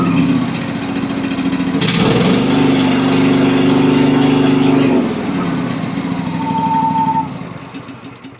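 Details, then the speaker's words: Cub Cadet XT2 with MTD PowerMore fuel-injected V-twin, seat switch bypassed for testing, running extremely rough: an uneven, lumpy idle that sounds weak and laboured. Only one cylinder is firing. "It just sounds weak and labored is what it sounds like. I'll get the hood off and we'll get a little closer view. Fire it up one more time. Again, definitely doesn't sound great."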